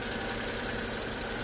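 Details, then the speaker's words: Daewoo Matiz at idle after an oil, filter and plug change: a thin, steady squeak over an even idle, unchanged in pitch; owner suspects the alternator, unconfirmed. "I have a horrible feeling that squeak is the alternator but I don't really fancy changing it cuz it's right down the back of the engine down there"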